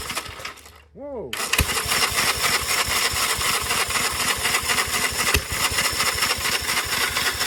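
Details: 1946 Gravely Model L single-cylinder, first run after about five years idle, started with ether in neutral at mid throttle; a cough, then even quick popping about four beats a second, running steadily, normal running.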